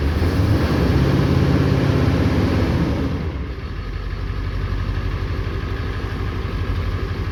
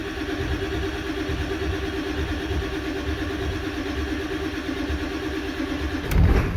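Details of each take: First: 1994 Ford 7.3L Powerstroke diesel pickup, sat 4–5 years, after fuel-pump repair, start after glow plug cycle with long crank expected to fill reservoir: about three seconds of steady cranking, then catches into an even, lumpy diesel idle; starts and runs normally. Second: 1994 Ford 7.3 Powerstroke pickup, sat 4–5 years, earlier had a bad mechanical fuel pump: about six seconds of cranking before it fires, a long crank while injection control pressure slowly builds.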